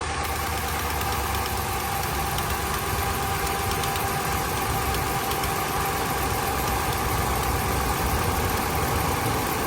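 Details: Dodge Ram 5.7 Hemi V8 idles steadily with a quick, light ticking, about four a second, from a leaking exhaust manifold; a broken heat-shield bolt that clamps to the exhaust was found, with carbon traces being checked.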